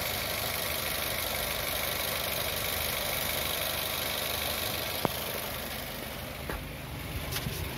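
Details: Car engine idling under a loud, steady hiss and whir with no knock; worn water pump bearing whine, louder once hot, which can lead to seal leakage and overheating.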